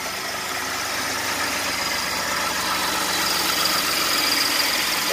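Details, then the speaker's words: 2018 Ford F150 3.5 EcoBoost turbo V6, 20,000 miles, fired up just after an oil change with Amsoil 5W-30 Signature Series, oil pressure gauge rising quickly: a steady, even idle with a hissy top end and no knocks or ticks, normal. "Alright, let's fire it up. Look for oil pressure. That gauge shot up quick."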